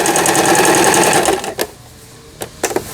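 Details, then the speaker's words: Lion Mising-sold Janome Harmony 2041 household sewing machine, about 20 years old, after repair of lower shaft gear/shuttle race timing that failed to pick up bobbin thread: quick even needle clatter sewing H zigzag pattern (zigzag width at 5), short bursts; runs smoothly, normal. "H. 지그재그. 요 무늬를 나오게 하려면 지그재그는 항시 5에 놓으셔야 됩니다."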